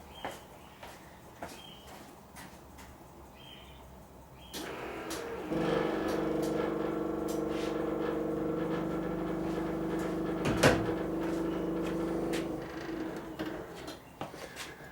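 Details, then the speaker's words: 1985 Ferrari Mondial QV left pop-up headlight motor: faint clicking then steady motor hum dragging about eight seconds as headlight slowly labours up; owner suspects damaged motor skipping teeth. "So as you can see, it's struggling to come up, but just with a little bit of manipulation it comes up. Yeah, something's not right."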